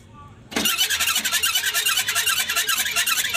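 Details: Newly installed 474 engine in a Changan double-cab truck, driven about 40 km, apparently no oil in it: harsh dry high squeal pulsing with cranking, engine won't start; cause found under the valve cover, unconfirmed here.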